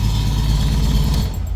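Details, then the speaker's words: Custom 1962 VW Beetle flat-four just fired after adding oil, filter and gas; carbs not yet synchronized, mixtures and idle not set, electric fuel pump on a switch. Loud, fairly even low rumble with no knocks or misses; running pretty nice. "You know, considering I haven't synced the carbs or anything, or set mixtures or anything, it's actually running pretty nice."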